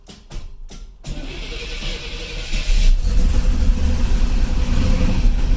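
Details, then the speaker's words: 1982 Corvette with Crossfire fuel injection, cold start: three hard cranking bursts catch into an uneven, lumpy idle with irregular pops and a rattling door locking pin; suspected running on six or seven of eight cylinders, improves when warm. "how rough that is I didn't want to cut that video so I want you guys to see this do that noise that's the locking pin in the door on that side rattling because the car is not running right it's running on probably half of its cylinders maybe six seven of the eight"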